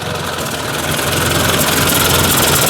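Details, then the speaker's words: Ford 800 tractor at low idle after a full warm-up: sharp, regular puffing tick over the engine note, an exhaust leak that is still leaking. "i can hear that still leaking there it's driving me nuts"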